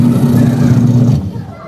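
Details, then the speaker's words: Washing machine after replacing the gear case (gearbox) to fix a noisy spin and leak: steady low even hum with no knocking or scraping, then winds down; noise gone, no leak, normal spin. "Ayos na din yung tunog, wala namang leak, So, ayan, lagay natin tong siyapa."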